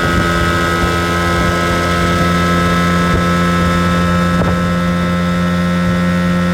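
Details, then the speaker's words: 1980 Evinrude 15 outboard after carb rebuild, new water pump/impeller and fuel pump rebuild, first hole shot: loud steady high buzz at full throttle with no sputter or surging, running clean and strong. "That's full throttle. Sounds good. Sounds kind of scary, too."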